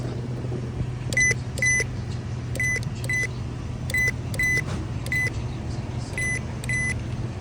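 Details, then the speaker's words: 2012 Toyota Camry Hybrid new EVAP purge valve, replaced for codes P0441 and P0455: sharp, loud clicks in pairs, crisp and instant, unlike the slow, weak old valve; purge valve clicking normally. "Very loud, so the valve in here is very strong and it opens very quick. Like the old one is kind of slow and it's weak."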